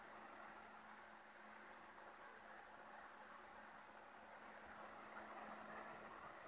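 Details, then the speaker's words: Noctua NF-P14s redux 1500rpm fan at 12 volts, full speed: steady even airflow rush with faint low tone, just a bit of whining, no ticking or rattle; healthy, strong airflow. "can hear just a bit of whining, but not much."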